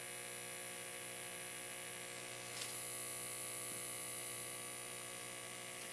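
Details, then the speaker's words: Homemade permanent-magnet synchronous AC motor on 12 V AC, brought up to speed by a starter motor, now locked in sync with the 60 Hz supply. Low, steady electrical hum with an even tone and no speed drift or rattles; normal synchronous running. "now the motor's running in sync with that 60 htz signal and old Maggie loves that that's just perfect for her"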